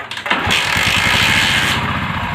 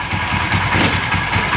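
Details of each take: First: Motorcycle that idles and starts but shuts off when revved (a mechanic had cleaned the carburetor): uneven, stumbling revs with a light ticking on the throttle, from the ignition coil leaking spark and misfiring. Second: Old motorcycle after replacing the ignition coil: engine starts and runs with an even, steady beat, no ticking or misses even when revved; normal running.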